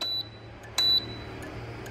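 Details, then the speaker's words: Sevilla SV-212II cooktop that lights its display but won't heat, 220 V present; sharp panel beeps each followed by a crisp relay click with no heating hum; relay coil works, suspected failed relay contacts or cracked solder joint. "bạn có thể nghe được tiếng tiếng kêu tạch tạch nhá"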